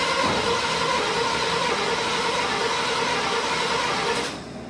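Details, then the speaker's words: 1971 Chevy C10 with HEI, unstarted for a couple of months, on really old gas, with a leaking fuel pump and a full filter. Steady starter churn at about four beats a second never catches; the cause is still unclear. "all right so this thing will not fire up I got fuel looks like the fuel pumps actually leaking a bit filter's full but uh should fire up"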